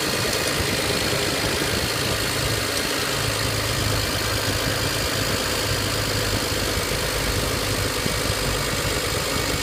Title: Part 1: Knocking / Crackling / Ticking / Rattle noise BMW E90 N54 335i on cold start